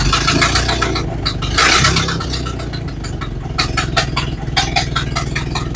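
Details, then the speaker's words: Model A Ford after new parts installed: steady, even idle with loose mechanical patter and no misses, seeming happy with the valve about a third of a turn open. "seems to be happy at about a third of the turn open"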